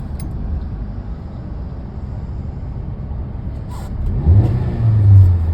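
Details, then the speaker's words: Hyundai petrol/CNG car with misfire code P030400, after fitting four new injectors, running on petrol: even idle and two smooth throttle blips, no stumble or misfire, rpm steady as it should be. "RPM भी एकदम फ है जैसा चाहिए वैसा हो रहा है"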